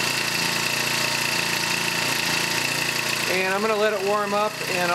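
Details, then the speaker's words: Honda GX31 four-stroke engine, warmed up after reinstalling the carburetor and new fuel lines and filter: steady fast buzzing idle with thin high whine; accelerates and idles smoothly, good to go. "So, uh, as you can see, it accelerates smoothly, uh, idle smooth, so it's, uh, good to go."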